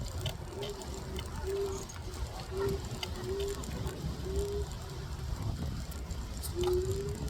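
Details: Evercross H5 hoverboard rolling: low rumble with a rasping squeal returning about once a second; grinding noise from the wheels.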